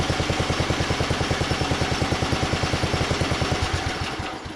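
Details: 1982 LongLife 36-inch lawn tractor, barn find unused for years, running after carburetor needle work: steady, even thumping about three beats a second, constant rhythm before winding down; normal running.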